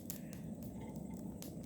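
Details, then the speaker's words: Small demo coal forge at temperature: sharp irregular pops and snaps, about five in two seconds, with bits flying out, over a low steady fire roar; moisture trapped from ambient humidity in open-air stored coal popping. "and every so often it goes bang and a bit flies out of it, that's water that's been trapped in there just from ambient humidity of being stored in an open air forge like this."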